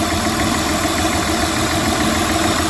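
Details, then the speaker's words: High-mileage Honda petrol engine idling during a power balance test: slightly lumpy, uneven beat from one dead cylinder that shows no change when unplugged; a coil pack is to be swapped. "so we got this one right here this is where our misfire is so i'll get a torx bit and we'll take that coil pack out and try swapping"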